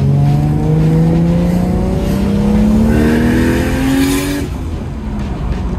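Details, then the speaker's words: Toyota Chaser with freshly rebuilt 1JZ turbo engine and new knock sensors, after chasing a no-boost problem, making about ten psi under load: note climbs steadily, sharp hiss as the loud wastegate vents; turbo now boosting normally. "it's loud the wastegate's loud the gloss doesn't seem that loud he'll be happy with that yeah that sounds good feels good"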